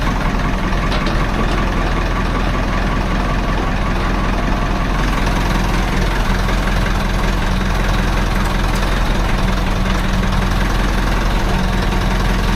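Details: Farm diesel started after block heater, above-freezing weather after two months of frost: steady, even low rumble at idle with no knocks or misses; clean cold idle.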